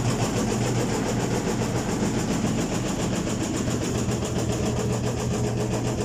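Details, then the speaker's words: Washing machine running with a loud, heavy rumble and rough pulsing beat as the tub knocks against the cabinet; an unhooked suspension spring let the tub move. "De hecho, miren como hasta la tina pega en la lámina. Aquí está mal nivelada o traemos algún problema con un resorte."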